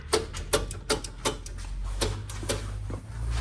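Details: 1961 VW Beetle barn find, sat years in Texas, 6-volt battery, power confirmed at starter: sharp evenly spaced clicks about three per second with no cranking or firing; starter clicking, no crank, cause not confirmed.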